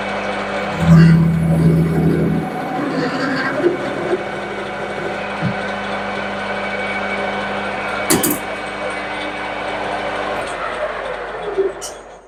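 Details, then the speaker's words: Lathe cutting a rivet dimple bolt for a homemade rivet press, speed lowered further to 700 rpm: steady tone with only occasional catches, no sustained chatter; chatter reduced, cut a little better. "now that was a little better"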